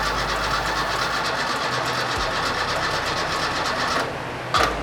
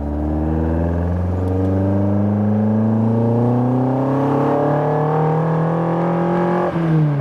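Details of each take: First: Fiat 131 Mirafiori Abarth with newly fitted twin Webers, woken after many years asleep: steady even starter churning with no firing while fuel has not yet reached the carburettors; it later fired and ran smoothly. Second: Fiat 131 Mirafiori Abarth with newly fitted twin Weber carburetors, on its first road drive after years asleep: clean rising engine note pulls smoothly through the revs with no knocks or misses; healthy under acceleration, though handling felt wobbly.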